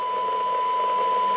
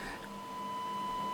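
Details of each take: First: Yaesu FT-290R radio on the bench before repair, receiving a strong -73 dBm test signal: a steady tone comes through with a constant hiss underneath that should not be there. The receiver is noisy and receive performance is poor. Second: Yaesu FT-290R radio after the ALC transistor was refitted: a steady, pure test tone with no hiss or crackle underneath, where there was noise before. Receiver audio is now clean and crisp.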